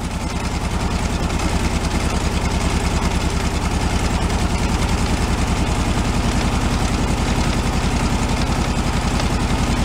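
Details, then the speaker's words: 1978 VW Super Beetle air-cooled engine, long-stored car with an oil-cooler leak: loping, uneven idle with beats coming and going, three or four a second, during a cylinder-shorting test with a test light; misfire, suspected running on only two or three cylinders. "I want to see which one is dropping out give us a better idea which cylinders is running on"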